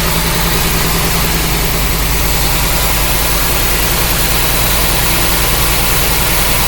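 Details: '54 rat truck, 305 throttle-body fuel-injected V8 with about 120,000 miles, after water pump work: loud, steady low idle with an even exhaust beat and no knock or miss; owner says it doesn't knock, normal idle.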